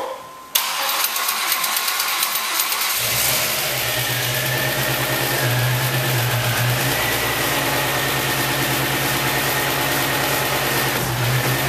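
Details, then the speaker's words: Swapped engine in a Chevrolet Lumina on first start: cranks, catches and idles with light fast lifter ticking until oil circulates and warms, fading away; no piston slap. "all right you hear a little bit of lifter noise we have to wait for the oil to fully circulate throughout the engine but there's no piston slap so that's what I'm happy about"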